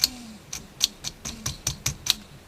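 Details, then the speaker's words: Orion VH2/2B video recorder after quick belt-kit repair and substitute sensor lamp, with pinch roller in poor condition: sharp ticking three to four times a second over faint hum, noisier than expected; cause not confirmed. "it's a little noisy i would expect that to be a bit more quiet not as bad as that"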